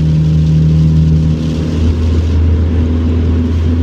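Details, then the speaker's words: Peugeot 207 driven after the hanging rear silencer was cut off, no muffler fitted: deep, booming drone swelling as revs climb, far louder than stock, exhaust running without its silencer. "Pov, t'es dans le 207 Roland Gamos et tu n'as plus de silencieux."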